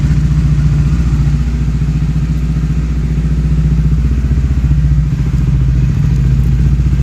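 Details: Steady low engine note with a fast, even pulse of light ticks, about three or four per second, from inside the motor of a Honda CBR; engine ticking noise.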